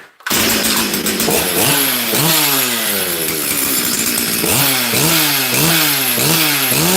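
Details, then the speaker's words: Chainsaw with brand-new carburetor, previously blown up milling: revs up and sags repeatedly, blubbery and uneven at high speed, stupidly rich; runs fine briefly then acts like a limiter-capped carb, as old carb did. "it's rich though like stupidly Rich you guys can hear that it runs fine for a minute and then it it feels like it has a limited carb"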